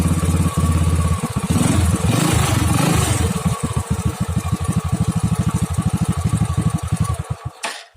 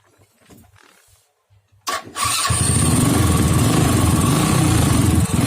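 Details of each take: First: Honda Astrea Grand motorcycle with a dead electric starter, kick-started: engine turns and fires unevenly after a hard kick, then stumbles and dies within seconds; weak spark traced to a faulty CDI. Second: Honda Astrea Grand motorcycle after swapping the faulty CDI that caused its ignition and electric-start problem: starter churns briefly, engine catches cleanly and settles into a steady, even single-cylinder idle; healthy electric start.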